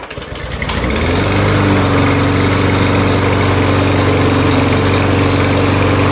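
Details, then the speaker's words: Troy-Bilt TB200 self-propelled push mower: a short pull-start rattle, then it catches on the first pull and settles into a steady, even drone. No smoke, no misses, and the drive wheels spin properly. "start runs real nice first pool no smoke no trouble starting wheel spin like they should"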